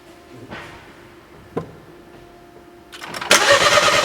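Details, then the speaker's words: 2012 BMW 1 Series, crank no start, not fixed by a dealership or an independent shop: the starter churns the engine with no catch or firing. Cause was cam timing out after timing chain guide failure. "so once we've confirmed this is a crank no start we can scan for fault codes and see if there are any fault code stored that could lead us into the right direction"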